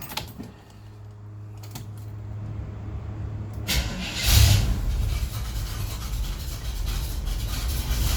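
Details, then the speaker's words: 1976 Chevrolet K5 Blazer Cheyenne V8 with headers, apparently showing about 20,000 miles, revived after sitting 7 years in a field: cold start, brief crank then steady even low idle rumble; healthy, no misfire or knock. "That stuff's like original. Here's a cold start."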